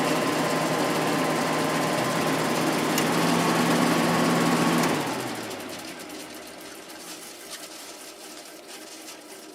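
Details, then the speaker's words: Sharp air conditioner ball-bearing fan motor after re-oiling the open front bearing with thick oil (rear bearing sealed): even running drone with steady rattling beat and grinding edge fading on spin-down; inside bearing quieter, outside bearing still noisy, worn. "the uh inside bearing is quieter now but that outside one is making a lot of noise"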